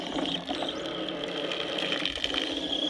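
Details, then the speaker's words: DIY deep well hand pump with a fiberglass sucker rod driven by #50 chain from a 24-volt wheelchair motor run on 12 volts at about half speed: a light, even whir with watery splashing and no knocks; running normally. "well here it is running I'm trying to get back to the noise isn't too bad"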